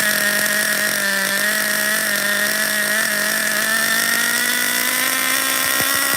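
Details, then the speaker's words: Schumacher XTR-3E nitro stadium truck with vintage three-speed, possible slight air leak, run under load: high buzzing engine climbing in pitch, shifting into third normally before running out of fuel; nothing stripped. "shut down we ran out of fuel guys it hit the three-speed I heard it you heard it did you hear it I heard it"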